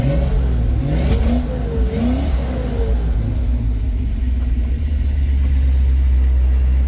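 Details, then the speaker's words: 1970 Dodge D100 V8, warmed up to temperature, back on factory-style ignition and 600 carburetor after Holley Street Dominator intake troubles; deep steady rumble rising and falling smoothly with throttle, no knocks or misses; now running good, carburetor still chokes slightly. "I I now now that it's running it's running good"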